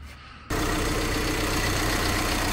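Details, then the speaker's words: VW Crafter diesel van after replacing noisy EGR/heater recirculating auxiliary water pump for fault code P261A; catches and settles into steady, quiet idle with only light injector tick, no knocks or rattles; normal idle. "so quiet that engine this purse now it's it just ticks all the nice and quiet"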